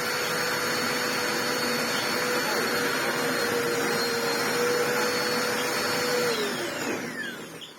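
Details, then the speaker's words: Ewbank Motion EW3001 corded bagless upright vacuum after clearing the clogged hose: steady even motor whine with clean airflow rush, smooth spin-down; airflow much better, normal running. "I mean, this airflow isn't utterly astounding, but a lot better."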